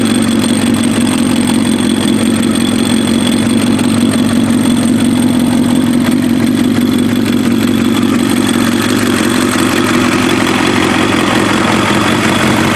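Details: Warm Kawasaki ZX7R race bike on FCR41 flatslide carbs, synced, with fuel screws leaned to 1 turn out; the four-cylinder idle is steady and even with no misses, pops or hunting. Cylinders 2 and 3 sync slightly off; normal idle.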